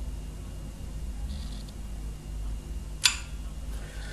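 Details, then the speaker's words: Refrigerator compressor removed from unit, not starting and drawing 13 amps: quiet hum, then one sharp click after a few minutes' wait as the thermal overload protector resets after cooling. "tendemos que esperar unos minutos dos tres aproximadamente cinco para que la protección térmica que lleva el compresor vuelva a saltar vuelva a quedar operativa"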